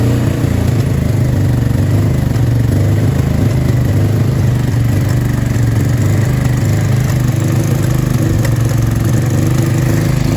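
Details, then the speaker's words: Honda Deauville NT650V5 V-twin after spark plug caps changed, plugs cleaned, fuel confirmed in both float bowls and new battery fitted, idling too fast with timing still needing adjustment: fast, uneven deep throb with ragged popping and backfiring, cause unconfirmed. "It's still popping and backfiring, but we'll see what happens."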